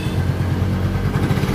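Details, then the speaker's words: Yamaha Mio J scooter after repairing a loose one-way starter gear whose looseness mimicked a damaged connecting rod knock: steady low thrum with even beat at idle, no knock or rattle; normal idle after repair. "Tidak ada lagi suara-suara aneh, sekarang terdengar seperti sepeda biasa."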